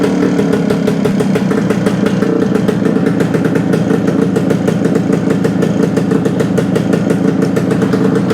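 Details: 1972 Suzuki TS250 two-stroke after carb work with 170 main jet fitted: quick, even beat with crisp steady rasp, no misfires; sounds more responsive; normal running.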